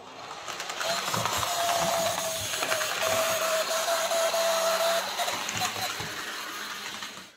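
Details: Hornby J36 model locomotive, bought new earlier in the year and unused for months, after running a while: a thin, steady high squeal over the whirring mechanism for several seconds, the same in reverse. Motor screeching, likely lack of lubrication.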